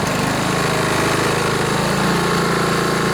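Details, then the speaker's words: Honda HRB215 plastic-deck mower that started then died, after a thorough carburetor cleaning and a crimp in the spring to let it rev up more: a steady, even single-cylinder drone at constant speed with no surging or dying. Normal running. "Yeah, that's much better. I think that'll work."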